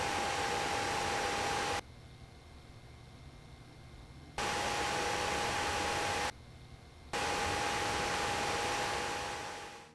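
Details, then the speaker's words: Gigabyte Gaming GT compact PC (i7-7700K at 90°C, GTX 1070 around 82°C) under load, microphone just above the case; loud, steady airy fan rush with faint hum, noisy but normal. "So from that sound test, it is very clear that this is not a quiet machine under load, so I would definitely recommend headphones if you're planning on using this for heavy-duty purposes like gaming or even productivity in general."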